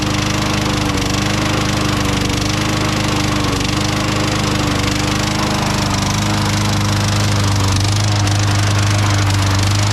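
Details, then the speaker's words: Craftsman mower with a Tecumseh 6.75 Vector engine runs at steady speed with a hard regular knock, three to four a second, which became constant after Seafoam was added; the spark plug is correct and gapped right. "will admit, that's a pretty good knock in there, you know? Definitely can't sell this mower the way it is, you know?"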